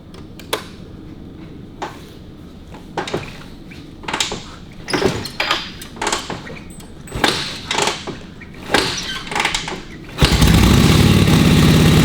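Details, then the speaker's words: Vintage motorcycle brought out of winter storage on a flat battery, started on full choke and full throttle: several kicks with scuffing clunks, then it catches into a steady, even run with no squelching, as the crankcase sump oil wasn't over-full; normal start and idle. "we didn't drain it but it wasn't overly oiled because you couldn't hear it making that squelchy noise yeah so 10 minutes running that all clear and it'll be clean as a bell"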